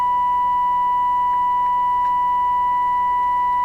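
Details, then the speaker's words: Nordmende 3004C radio during FM detector and stereo decoder adjustment: steady 1 kHz test tone with a fainter higher overtone and low hum. Harmonic distortion is audible, and lower frequencies produce harmonics more within hearing range. "the lesson is distortions and lower frequencies produce harmonics that are more in the range of your hearing the lower frequencies that are going to sound off"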